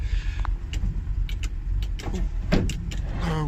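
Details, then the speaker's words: Range Rover Classic with the engine idling: the sunroof runs with a steady electric whir, without catching or straining. Normal operation; the front windows also work but the rear ones don't. "roof's working i think something looks pretty rare the driver's window and the passenger window also working it's just the rear ones that aren't"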